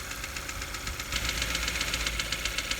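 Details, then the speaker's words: Engine at idle checked with a mechanic's stethoscope: light, sharp metallic ticking about four times a second from the top end; could be water pump or alternator bearings, but it proves to be valve lifter tick, with low oil level suspected. "And you can hear the tapping coming right around in this area in here, which could be a few things."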